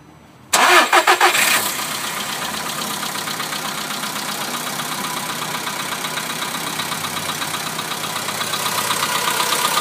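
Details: Volkswagen Polo sedan inspected at an official dealer after sitting outside overnight, cold start: quick even tick about four per second over the cold idle, following engine speed; staff suggested hydraulic lifters, owner doubts it; source unconfirmed.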